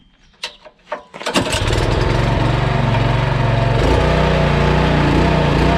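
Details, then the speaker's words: Pull-start small gas engine on a sprayer tender trailer pump, after a rainy season: cranks twice, catches, runs with uneven, lumpy, hunting beat; rough running, owner suspects water in the gas and plans to drain and replace fuel. "I started this pump up just a little bit ago and it sounded terrible. I'm going to try again here, and just see what it sounds like."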